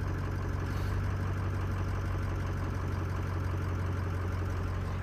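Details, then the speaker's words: Greg's diesel truck with an EGR cooler, cold start with nearly all sensors unplugged (cam, crank, VGT, IPR connected): low, even clatter at one steady speed, no hunting or surging. It jumped only when first fired up; normal idle. "yeah I mean it's just completely smooth right now all good everything's good not jumping at all"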